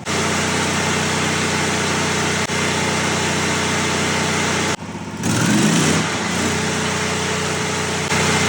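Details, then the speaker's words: V-twin engine of a Miller Bobcat generator welder, oil last changed around 2016: steady idle lope with an even beat and no knocks, rattles or obvious leaks; normal idle. "Sounds okay. I don't hear any massive leaks. That V-twin has got that nice little lope to it."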